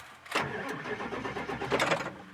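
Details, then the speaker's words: 7.3 Power Stroke diesel no-start check: once the truck is fully engaged in park, the starter cranks the engine over steadily and evenly for about two seconds, no start yet: normal cranking. "and you're going to get at least the engine cranking over"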